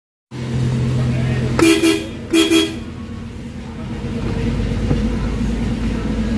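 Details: Nissan Cube with the engine idling, after its no-horn fault was fixed by repairing the steering clock spring: two short, loud horn blasts with a clear, steady tone; working horn.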